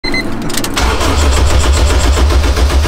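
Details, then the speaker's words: K24-swapped Honda Civic first start: starter cranks under a second, engine catches and settles into a steady, even idle with no stumbling; normal start. "the k24 civic is finally finally alive"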